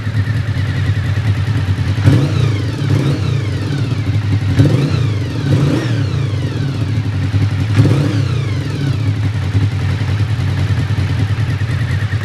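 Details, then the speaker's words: 1991 Honda VFR750F RC36 after tightening loose exhaust bolts at the front: clean rev sweeps over steady idle, no popping from the front; exhaust now sealing, sounds better than before. "So that sort of popping sound I heard at the front is definitely gone. Don't think there's any more blowing out the sort of midsection. It definitely sounds better than it did before."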